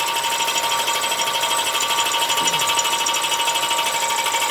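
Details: Audi A4 B8 1.8 TFSI engine running: steady metallic ticking about three times a second over the engine, a knock from inside the engine.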